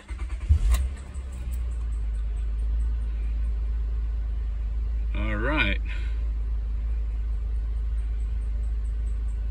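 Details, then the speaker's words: 2006 Honda Accord 3.0L, high mileage, earlier would not crank and only clicked; owner suspected ignition switch, starter relay or starter. With a good battery it cranks a few strong beats, catches and settles into a steady, even idle. Normal crank and start. "so with a good battery the car crank and start"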